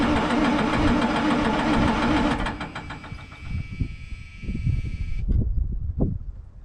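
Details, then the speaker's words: White GMC diesel truck: rough, uneven cranking at about four turns a second with a steady electric buzz on top, never catching. Crank, no start; the buzz is the shutdown buzzer, source unknown. "i'm just going to try and crank that thing over and see if it'll start"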